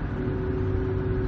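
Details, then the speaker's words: Ford at 85,000 miles, driven at about 50 mph on a country road: a steady low droning howl under the road rumble, rising and easing as the throttle goes on and off; the ring and pinion gears are simply worn out. "so we have we're on the drive side of the opinion on their the ring and pinion it's just worn out by now our 85,000 miles it's due"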